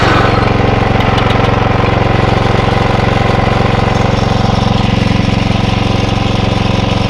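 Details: Atco Royale B24E cylinder mower single-cylinder engine after carb clean: strong even beat about 194 pulses a minute, brief dip when drive engages then picks right up, no hunting or surging.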